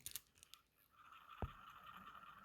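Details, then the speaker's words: Citizen Automatic Super Titanium NH9120 watch, movement: faint scratchy clicks then thin steady whirr as rotor spins freely; somewhat noisy rotor winding, normal for this movement. "Jadi jangan terlalu percaya dengan angka yang dari film terus muffet ini sayangnya itu suara roadblock itu agak berisik"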